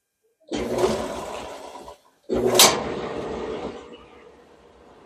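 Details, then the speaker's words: Kenmore dryer (Maytag/LG-style design) running normally after the idler pulley wheel fell off and was refitted, tested before the top went back on; steady airy rush, brief stop, then smooth running with no squeaks or scraping. "there you go people it's running okay why that wheel fell off we'll never know long as the belt didn't break"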